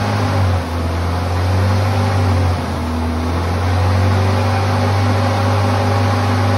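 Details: 1978 Ford Pinto cruising wagon, long-sitting, running on fuel poured in at the top: steady, fairly fast drone with throttle plates fully closed, never settling, indicating a massive vacuum leak; PCV valve plugs into what looks like a heater hose.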